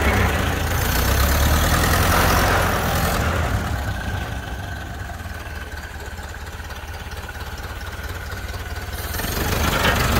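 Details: 1931 Ford Model A, flathead four, 200.5 cu in, about 4.5:1 compression, just revived after 65+ years stored; low, even chuffing about three and a half beats a second, steady and unhurried; healthy smooth idle.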